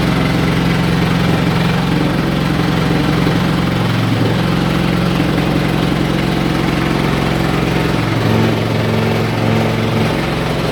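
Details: Haier i-Pro Series 7 HW100-B14979S 10 kg washer, under 10 months old, light load on a 1400 rpm spin: loud, hard, drill-like roar from deep inside at the back middle; the machine is stable and level. Owner suspects premature drum bearing failure.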